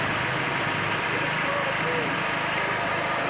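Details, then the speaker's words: Yamakuyo small generator that previously wouldn't start, started by pull-crank (battery too weak for starter) after repair: light single-cylinder buzz at constant even speed, no misses or hunting, output 220V AC; normal idle. "Nah, mesin sudah diengkol sudah normal, sudah hidup normal. Nah, 220, AC 21, voltaser. Ini casinya 15 volt. Ini mesin normal."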